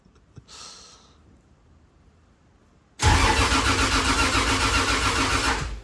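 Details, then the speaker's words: Rebuilt 2JZ in a KE70 Corolla, cold start below about 10°C: about three seconds of steady, fast starter cranking with no firing; no start because the cam angle sensor was left unplugged. "I mean, cold start's probably a bit average. It is probably less than 10 degrees outside. Why no start?"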